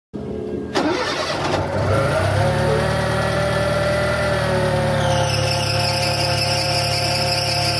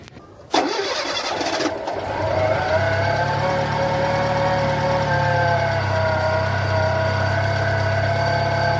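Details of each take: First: Fiat Palio 1.0 Fiasa: at start-up a steady high squeal rides over the idle from the worn accessory (alternator) belt; fix is replacing the auxiliary belt. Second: Fiat Palio 1.0 Fiasa starts with a brief crank, catches and settles into a smooth, even idle without the alternator/auxiliary belt squeal; normal start and idle.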